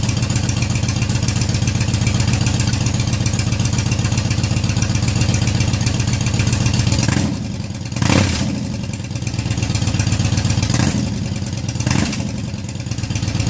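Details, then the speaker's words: Yamaha Raider V-twin with newly fitted Cobra Dragsters exhaust (baffles in), cold outside: deep loping idle, even thumps about four a second, two short throttle blips, healthy engine through loud pipes. "so anyways there's my Cobra dragsters one last time it's getting a little bit hazy in here where I had it running pretty cold outside but went from that to that I'm excited it sounds good"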